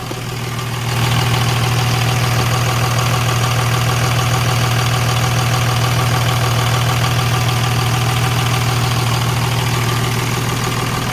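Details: 2003 Freightliner/Sterling Schwarze A7000 sweeper, Cummins 5.9 L straight-six diesel, about 38,000 miles, running after sitting almost two years; idles low and even with a smooth steady beat, no knocks or misses; healthy idle.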